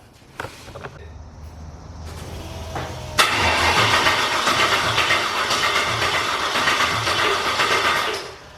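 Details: Corvette LS-swap engine, first start attempt: starter cranks at a steady beat for about five seconds then stops without firing; cranks but won't start.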